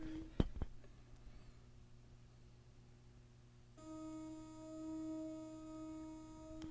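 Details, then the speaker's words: Rotel RP-2500 turntable (1978) with replacement cartridge, test-record tones rising in output, anti-skate weight not fitted: quiet stretch, then harsh buzzy distorted tone; stylus mistracking because anti-skate is missing. "our anti-skating is off and see now it's starting to distort as we go to the higher [Music] hear that the higher output and the next one it's going to get really bad watch this"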